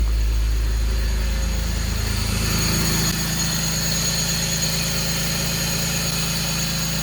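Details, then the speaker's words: BMW 325i E46 with code P0174, after replacing the vacuum hoses and the DISA valve O-ring: steady idle with a thin constant hiss, a suspected intake leak still at the DISA valve; the O-ring may need more oiling. "so sounds like there is a leak coming from this disavow still so I may need to take it back apart and oil up a ring some more"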